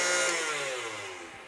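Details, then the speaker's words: KitchenAid tilt-head stand mixer: at switch-on it goes immediately to high speed and whirs loud, rough and raspy, pitch sagging as it fades. Many parts have failed, and a complete rebuild is needed. "Now, for example, this machine, you turn it on, it immediately goes to high. It sounds like absolute garbage."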